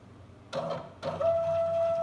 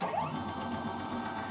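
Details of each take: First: Small CNC router stepper motor, Arduino with CNC shield, X axis jogging after speed parameters changed from 1500 to 1000: knocks, then loud steady mid-pitched tone with metallic buzz; motor vibrates much more, resonating at this speed setting. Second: Small Arduino CNC-shield router, X-axis stepper moving at speed 1500: soft, even hum with a faint higher whir, a subtle noise and slight vibration attributed to the bearing, no skipping; normal stepper motor running.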